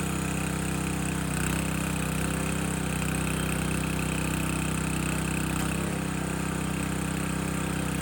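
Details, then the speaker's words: Landworks 20-ton log splitter engine splitting a dry 24–25 inch log; small engine holds a steady, even drone under load with no stumbling or knocking; split easily, healthy normal running. "All right, that first log, split it nice and easy, no issues. The wood itself is pretty dry."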